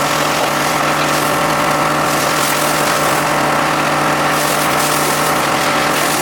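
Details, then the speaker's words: John Deere X540 mower that came in crank-no-start with no spark, idle about a year; both coils found dead, failed module swapped. Steady, even two-cylinder note at constant speed, no misses or stumbles: normal running after repair. "So found out the module failed and swapped it out, and next thing you know, it runs."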